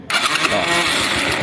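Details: Dafra Riva 150 starter cranks the engine in a quick, even chugging rhythm for about 1.5 seconds but it never fires; suspected causes include neutral switch, clutch sensor, starter brushes or starter relay, not confirmed.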